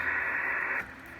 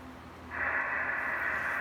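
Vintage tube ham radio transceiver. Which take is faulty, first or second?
second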